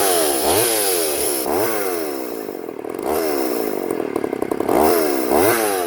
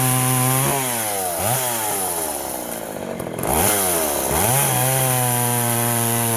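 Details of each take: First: Poulan 3400 Countervibe (Craftsman 3.4) vintage chainsaw cutting wood after lowering the carburetor diaphragm metering lever that was set too high and caused loading up and bogging; revs up strongly into each cut, holds speed, drops back cleanly, running right. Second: Poulan 3400 Countervibe (Craftsman 3.4) vintage chainsaw loading up, smoking and flooding while cutting wood; revs sag and drag down repeatedly under load then struggle back; running rich because the carburetor diaphragm metering lever was set a little too high.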